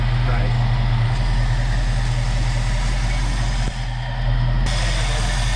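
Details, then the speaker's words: 1969 Mercury Cougar Sport Special, 351 Windsor 2V V8, barn find run after 20 years stored, carburetor tuned, accelerator pump weak: deep, even burble at steady idle, no misses, knocks or surging; normal idle. "hers like a kitten that's a 351 they're so slow sounds good"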